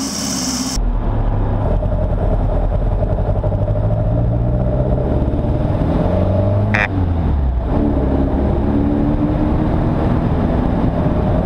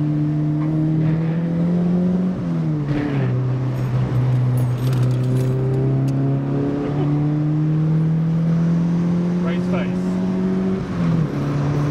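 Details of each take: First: Mk1 Fiesta XR2 with Jenvey throttle body and Omex 600 EFI: revs rise and fall with a lumpy, stumbling beat under load. Misfire blamed on injectors pointing down only two ports, overfuelling one cylinder at low speed; number one plug was cleanest. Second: Mk1 Fiesta XR2 with Jenvey throttle body and Omex 600 EFI, after remaking the inlet manifold and laptop mapping, driven in snow: pitch rises smoothly, drops at each shift, no stumble or hesitation. Runs healthily after the fix.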